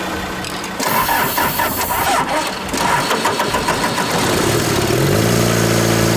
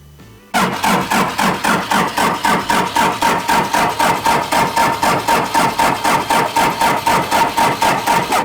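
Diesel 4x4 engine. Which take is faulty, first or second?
second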